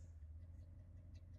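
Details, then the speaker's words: Pop's old V8 truck, sat about 12 years in the woods, idling while warming up after an alternator failure; quiet, even low idle with only a slight lifter tick: normal idle. "I know it probably doesn't sound good on camera to you guys, but this is actually a really quiet engine. It's got a little bit of a lifter tick, but not much."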